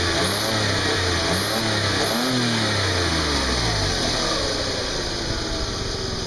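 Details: 2003 VW Passat Wagon 2.8L V6 after flex pipes were replaced, getting about 10 mpg: revs with an odd steady hiss and rasp over the engine note; owner suspects a vacuum or exhaust leak, unconfirmed, unidentified engine noise.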